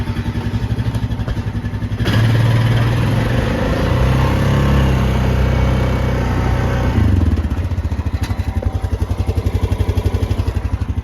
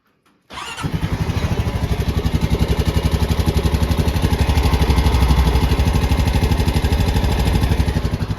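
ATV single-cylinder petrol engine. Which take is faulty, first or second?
second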